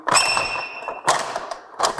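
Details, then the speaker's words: Manual Carefree of Colorado RV awning gives a thin, high squeak for about a second as it is drawn out, then rattling clunks; an alignment issue with a slight catch at the top. "so one other thing we did see with this one here is we have a little bit of an alignment issue up here it's got a little bit of a catch and so I want to put this back up and we'll notice that when we bring this out you hear it starting to squeak"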